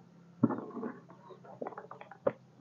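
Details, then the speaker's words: Yamaha Jupiter Z, starter button pressed: a few sharp dry clicks from the starter relay under the seat with no cranking. The relay is getting its signal; mechanic suspects the starter motor, still checking whether current reaches it. "nah suara cetak-cek itu berasal dari dalam jok sini yang namanya relay starter ini ya ini yang namanya relay starter atau bendik"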